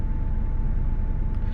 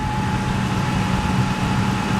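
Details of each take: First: 4.6 V8 truck, first spring start after winter storage on old stale gas, battery just recharged: cold idle with an uneven, lumpy low rumble and a faint steady whine on top; rough idle, cause unconfirmed. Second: Old V8 truck's first start of spring after sitting with a low battery: steady, even low rumble with no misses or knocks; under 2 minutes after start it already idles smoothly.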